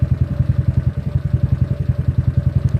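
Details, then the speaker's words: GY6 scooter started manually with the push button, orange alarm/remote-start wire left as originally set up: the small single-cylinder engine catches and idles evenly at about twelve pulses a second with no misses; it starts fine. "let's try start the scooter manually okay push the start button let's Peter starts fine"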